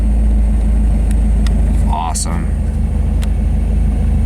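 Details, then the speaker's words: Mazda Miata idles smoothly at about 800 rpm with no hunting or hissing. This is after a cheap duct-tape and zip-tie fix of the vacuum hose to the intake manifold, which had caused the idle problem; a proper part is still planned. "so we're gonna go ahead and start it up all right here goes see if it actually I was now and it does oh yeah perfect about 800 rpm"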